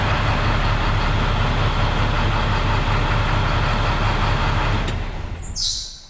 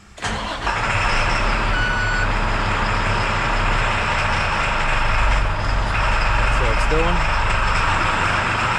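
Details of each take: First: International WorkStar diesel truck after stuck-on exhaust brake (suspected stuck flapper in exhaust) had caused ~500 rpm low idle and no rev-up; now steady, even low idle with smooth regular beat, no misfire; running normally. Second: International WorkStar diesel with suspected stuck-on exhaust brake: starts, then sits at a low, laboring idle around 500 rpm that won't rev up, scan tool showing 99.5% engine load; almost nothing coming out of the exhaust.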